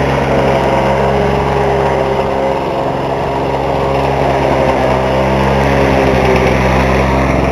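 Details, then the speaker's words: Lawn-Boy two-stroke mower after carb rebuild and reed replacement, 32:1 mix with 89 non-ethanol fuel: runs fast and uneven with a dull knock about four per second; owner suspects rod knock, nothing found loose; unconfirmed. "see if the sound that I'm hearing is a rod knocking because I've went over this entire thing and tightened it and there I I haven't been able to find anything"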